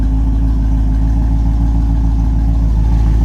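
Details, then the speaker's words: 1984 Corvette C4 Chevy 350, with Crossfire injection swapped to an Edelbrock carb and intake and a new radiator fitted: deep, even V8 burble with no knocks or ticks, running smoothly. The exhaust is to be replaced. "Sound better once we get rid of that exhaust."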